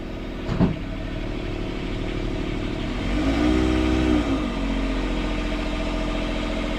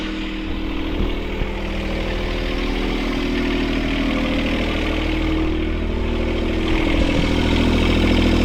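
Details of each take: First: Port sailboat diesel at anchor in forward gear after repairing all four engine mounts, snapped by a submerged log strike; a steady, even drone with no shudder or knocking and a brief rising tone. It is not vibrating and feels nice and solid. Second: Sailboat port diesel after repairing all four engine mounts snapped by a log strike. Steady, fast idle with no hunting, way too high; the engine jumped forward 3-4 cm and bent the throttle cable bracket, so the idle needs adjusting.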